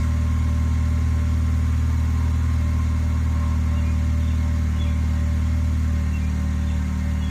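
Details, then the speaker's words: 2006–2011 Honda Civic 1.8L after replacing badly burnt spark plugs with new NGK Iridium plugs: steady even low hum with no misses or stumbles; normal idle. "well guys it didn't blow up it's running nice and it sounds good"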